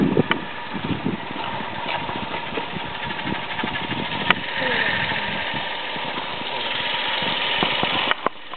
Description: This is the noise my Toyota Aygo made when its water pump was worn out. At first it only made this noise when cold, but not when the engine was warm.